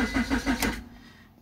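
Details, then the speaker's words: 2002 Honda Accord 2.3 that stalled and won't restart: starter cranks briefly at about six pulses a second, then falls silent with no firing; the faulty main relay cuts power, and tapping it lets the engine start. "entonces nuestro problema nuestro problema va a estar en lo que es esta pieza y si la tocamos se activa así como ustedes lo pueden ver"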